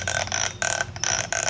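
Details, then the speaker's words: New cordless angle grinder, just unboxed: short bursts of a thin steady high squeal cutting in and out, disappearing at full speed; owner's corded grinder makes no such sound, unsure whether it is normal. "Kasi yung isang merong cord na angle grinder ko ay wala pong tunog. Ayan. Pero pag umiikot na siya ng mabilis, nawawala naman po."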